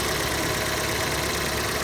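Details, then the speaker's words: Crash-damaged 2016 Fiat 500 idling after the belt was refitted, with coolant topped up but still needing a bleed: steady, even idle with a hissy wash and no knocking; the earlier aircon pump noise has stopped. "Let's flick the engine and see what it sounds like. Oh, that's better. The aircon pump's completely stopped now."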